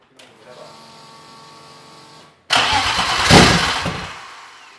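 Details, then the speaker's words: BMW M50 straight-six being turbocharged, with a new 4 bar MAP sensor and high-output coils, on its first start without coolant: cranks, catches, revs cleanly, settles to fast even idle, no misfire; runs nice. "It runs nice! Try little bit of thorttle and then turn it off."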